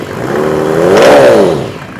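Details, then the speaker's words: Rebuilt Mercedes OM606 diesel, hot, throttle blip: pitch rises smoothly, peaks and falls back evenly with no knock or rattle; oil pressure peaks around 60 psi, healthy. "see about a maximum of 60 psi."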